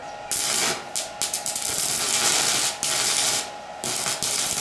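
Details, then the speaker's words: Handheld portable 110V IGBT inverter stick welder with 3/32" rods, current turned up from 70 to 100 amps for better burn; steady sizzling crackle in bursts with brief breaks, stable arc giving a complete, good weld: normal arc welding. "So that's a lot better. I've got a complete pattern here. The metal is welded together, and we've got a good weld."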